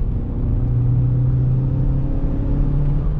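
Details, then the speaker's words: Chevy Cruze turbo accelerating on the road after an upgraded wastegate actuator spring and closed airbox; boost way higher, almost 25 psi, with stronger mid-range torque; steady deep drone pulling hard, louder, no knocks, rattles or flutter; normal. "it is it is definitely a little bit louder with the extra boost the mid-range torque is there the boost pressure's way higher"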